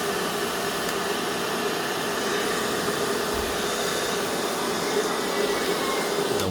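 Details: Cheap 800 W hair dryer after its power cord was replaced: a steady airy whoosh with an even motor hum, no rattle, scrape or surging, then a clean switch-off; it runs fine.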